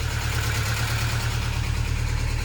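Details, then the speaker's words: 1993 Saab 900 just revived after sitting parked, top end long without oil: low lumpy uneven idle barely holding, won't idle off the throttle; owner considers Seafoam. "don't know what happened if i take my foot off it oh she does not want to idle i wonder if i throw a can of seafoam in it if it'll uh clean up a little bit but she's running"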